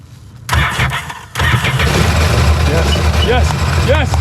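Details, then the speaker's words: 2005 Sea-Doo GTX engine after water got into it, start attempt to burn the water off: cranks, catches and settles into a rough, uneven idle with erratic firing; doesn't sound good. "yes yes yes yes yes yes hours she doesn't sound good hours"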